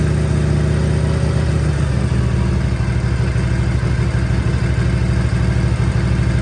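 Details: 1957 Harley-Davidson Panhead, first start after a top-end rebuild: guides checked, valves lapped, 20-over pistons, James gaskets; choke on, started first kick. Slow, even loping twin idle with no knocks or ticks; healthy normal idle.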